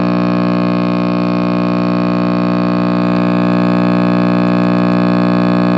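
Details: RCA Victor X551 vintage tube radio at first power-up after restoration and power cord rewiring: loud dead-steady low hum with even overtones; owner suspects last-soldered filter capacitor, reading unconfirmed.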